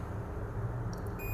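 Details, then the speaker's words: Dead phone that will not power on, multimeter in continuity mode with red probe on the battery connector plus and black on minus: a steady high beep over low rumble, showing a full short across the battery terminals. "देखो guys beep बज रहा, इस प्रकार beep नहीं बजना चाहिए, इसे हम लोग बोलते हैं फुल शॉर्टिंग।"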